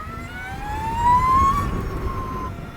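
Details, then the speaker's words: Energica Eva Ribelle RS electric motorcycle (260 kg, chain drive) being ridden: clean high whine climbing with speed and falling as it eases off, from the straight-cut gear transmission between motor and sprocket; normal. "The reason this bike makes this noise is because it has a straight cut tooth transmission from the motor to the sprocket."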